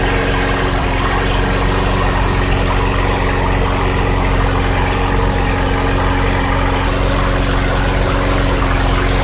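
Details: 2006 Craftsman 917.376160 push mower, a roadside find, running after a few sprays of carb cleaner with its tank nearly dry: steady, even single-cylinder thrum at constant speed with no knocks, misses or surging. Engine runs cleanly.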